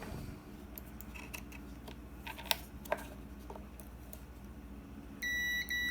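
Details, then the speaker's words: Kärcher WD 1 vacuum that won't switch on: multimeter on the motor field winding gives no reading from one brush terminal, then a steady high beep with brief dropouts from the other side, showing continuity; winding intact. "tenemos continuidad ok y aquí lo vamos a ver un poco más gráfico"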